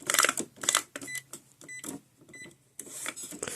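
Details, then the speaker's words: Epson ET-4800 printer after complete reset, customer complaint loud clucking noise: short whirs, clicks and brief motor tones in uneven bursts as scanner and carriage cycle during setup initialization; scanner works normally, though the printer later gets stuck on screen. "It's initializing, that's what it's doing. It's completing our setup. That's the scanner. If you guys wonder what that sound is, the scanner does work."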